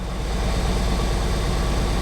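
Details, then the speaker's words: Fiesta ST180, parts swapped 1↔2 and 3↔4 to see if misfire moves from cylinders 2 and 3, codes cleared; rough, lumpy idle with stumbling firing rhythm. Engine misfire at idle. "Okay, so we'll just wait for the engine management light to come on again. It's obviously missing again, you can tell."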